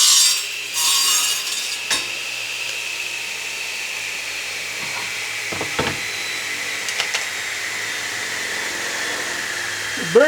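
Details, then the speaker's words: 10-inch radial arm saw with a Forrest Chopmaster blade making a crosscut: steady high motor whine stays even through the cut, with no rumble, growl or rattle. Bearings in good shape. Normal running under cut. "and they still sound like they're in good shape. Um, you'll notice that the saw did not try to pull itself through the cut, and that's because I've got a another Forest Chopmaster blade on here."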